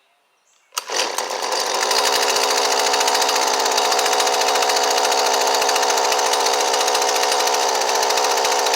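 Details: Husqvarna 128LD trimmer with a newly fitted Hipa replacement carburetor, just started: a small two-stroke snaps to life and holds a buzzy, slightly uneven high rev; the high-speed mixture screw needs a small adjustment.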